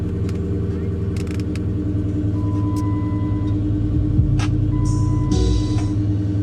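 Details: V8 salvage car idling just after a cold start, check engine, ABS, TPMS and brake lights on: steady even low rumble, smooth unchanging tones, no knocks or misses; sounds good.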